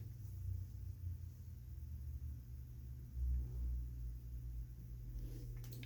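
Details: Amana 95 IIQ two-stage variable-speed gas furnace on continuous fan: smooth, even low rumble with steady hum, no knocks or rattles; blower running normally.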